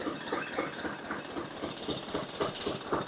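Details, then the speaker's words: Old Glonet stationary diesel engine running after revival; crisp, regular exhaust beats around four per second, steady with no misses, speed governed by spring tension; healthy running. "That's a pretty good little pace for it to run. Um, I might try to slow it down a little bit."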